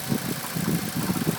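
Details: Bone-stock Mitsubishi Evo X MR: steady idle with a repeating low mechanical knock on each firing pulse, audible from the cabin at idle and when accelerating, starting around 300 miles; engine knocking of unknown origin.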